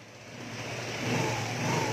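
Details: Vespa scooter after carburetor (IC AC 19) work, earlier prone to dying after starting, now revs smoothly from low to higher revs with a clean, even note and no misfire or hesitation; running fine.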